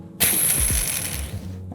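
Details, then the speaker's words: Hand-spun skate bearing after cleaning in acetone, before lubing: loud, gritty, rattling whir with a high ringing tone from the dry unlubricated bearing; once lubed it spins silent. "Spin it a bunch, and you can totally hear the difference. Like unlubed bearing,"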